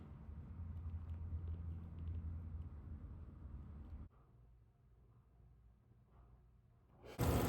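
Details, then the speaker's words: Hidden water line leak: a steady low hum heard with an ear against the water pipe, and the water meter is spinning constantly. "the water line. You can really hear the humming, but you can still hear it if you put your ear here."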